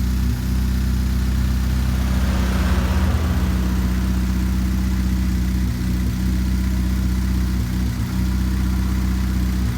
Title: Chevrolet Spark 2013 Misfire